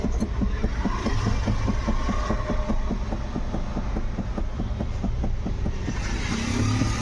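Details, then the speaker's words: Ford EcoSport, steering rack already replaced and cross joint checked OK: repeated dull thuds, three or four a second, over steady idle, also heard when turning or over potholes; worn part inside the steering column knocking. "यहां पे सुन सकते हो column के अंदर डबक डुब की आवाज आ रही है तो यहां पे हम लोगों ने इसका क्रॉस वगैरह अभी सब चेक किया है क्रॉस वगैरह का प्रॉब्लम नहीं है जो प्रॉब्लम है हमारा कॉलम के अंदर है"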